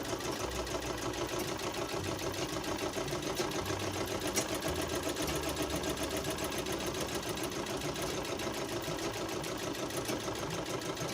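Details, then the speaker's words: Sewing machine treadle after loosening an over-tightened rod nut so the linkage moves freely: even steady whirring, about three beats a second, and the clacking from below is gone; a too-tight rod causes the treadle noise. "এই যে দেখেন এখন যে নিচে একটা শব্দ হইতো এখানে, এই শব্দটা এখন চলে গেছে, এখন আর শব্দটা হচ্ছে না।"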